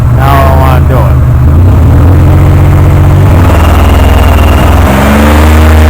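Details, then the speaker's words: 1998 Oldsmobile Delta 88 with a cylinder 3 misfire code despite new plugs, wires and coil packs: runs fine at idle but revving brings a loud, uneven, skipping beat instead of a smooth pulse. "it runs great but if you listen when I rub it up it skips and I can't figure out why"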